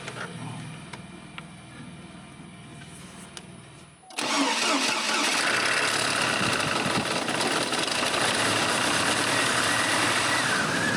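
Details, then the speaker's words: Farm machine engine with prior damage and heavy blow-by past pistons into crankcase: catches after a quiet few seconds, then regular uneven pulse about 200 a minute, suggesting a weak low-compression cylinder; power steering fluid leak also suspected. "ہاں ویسے بھی crank case میں piston سے گزرتے ہوئے بہت زیادہ دھچکا ہے"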